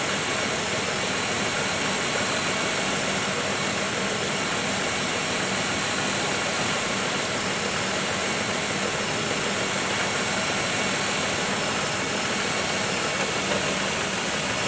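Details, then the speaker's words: 1995 Oldsmobile 3800 V6 with 138,000 miles after timing chain service, warming while the cooling system bleeds and heater core getting heat: steady, even hum settling lower as it idles down, no knocks or ticks; normal idle. "you hear it idling down"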